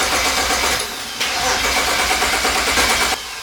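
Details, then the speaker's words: BMW 335i N54 with eBay 19T turbos just fitted, cranked with all coil packs unplugged before first start: even, steady starter churning that never fires, with no knocks or grinding. Normal crank with the ignition disabled. "all right so I'm about to crank the car we got all the coil packs unplugged"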